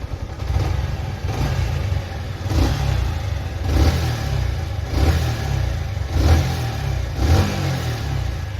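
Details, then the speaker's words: Yamaha R15 V3 single-cylinder, after replacing the noisy coil plate that also caused a battery charging fault: runs evenly with light throttle blips, no knock or rattle; engine noise gone. "Guys एकदम सारी चीज okay आ चुकी है"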